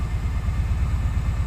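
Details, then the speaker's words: 2004 Daihatsu Sirion after EFI relay replacement for crank-no-start: low uneven lumpy idle with one cylinder dropping out, because an ignition coil connector was left unplugged after testing. "آپ نے coil کی تار نہیں لگائی، گاڑی غائب ہے، اسے چیک کریں۔"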